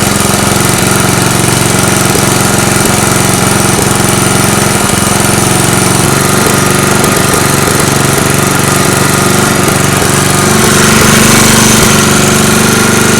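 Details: Small engine running on a homemade tri-fuel conversion kit; loud, hammering, uneven lumpy beat, hunting under load: rough running. Owner suspects the hose's tiny inner diameter restricts fuel flow; unconfirmed.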